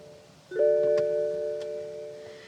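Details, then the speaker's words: BMW left in a field for 4 months with mouse damage, first power-up after connecting the battery: a single bright door-open warning chime over near silence; starter only clicks without cranking, and the starter is suspected bad. "It literally, shut up. The door is open."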